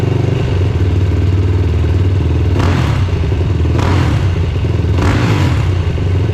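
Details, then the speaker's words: Yamaha YFZ450R XC race quad on a 24-volt starting setup, on a milder day after brief warm-up: single-cylinder thump runs strong and steady with three throttle blips, no misfire; starts quickly, earlier trouble was insufficient warm-up in 30-degree cold. "So as you can see, 24 volt setup works just fine. I just didn't give it enough time to warm up. She starts really quick, so back to the video."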